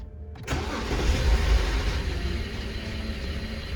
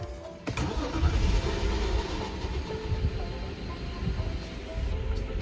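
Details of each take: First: BMW E60 525i 3.0 N53 petrol engine after swapping coil 1, starting into an uneven, lumpy idle with a stumbling low pulse; misfire persists, code 29CD cylinder 1, with power loss and needle hunting. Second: BMW 525i E60 3.0 petrol N53 engine after replacing the faulty part in cylinder 2 (misfire code 29CD, unstable idle, power loss): cranks, catches quickly and settles into a smooth, even idle, tach needle steady without the earlier tremor; normal start and idle.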